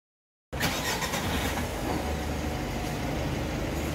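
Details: Mitsubishi L300 4N14 diesel after clearing stored P0403 EGR control circuit code (connector sprayed with contact cleaner, code reset): engine catches cleanly and settles into a steady, even idle with no misses or knocks; running normally.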